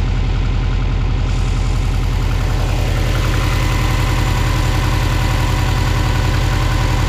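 Cold engine idles with a steady, hollow low knock, about three or four a second, typical of piston slap. Cause suspected, not confirmed.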